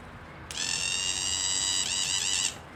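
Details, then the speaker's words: Used Walbro fuel pump from a 1996 Mustang, bench tested before hardwiring into a 2000 Mustang; high steady electric whine about two seconds with slight wobble. Normal fuel pump operation. "I bench tested this one, which I'm going to show you guys, and you should be able to hear it trying to suck some water, or fuel in this case, but"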